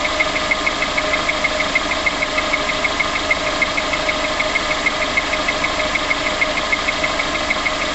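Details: Vehicle identified only as VX19: crisp, even ticking about three per second over a quiet idle right after start-up; the source of the tap is unknown.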